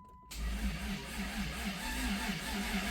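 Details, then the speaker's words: 1991 Dodge Caravan 3.0 V6 with 3-speed automatic, abandoned 19+ years, in park: starter turns the engine over with an even, steady rhythm, no grinding or clatter; first crank in about 20 years sounds normal. "That thing cranked over on its own for the first time in 20 years and it sounded okay."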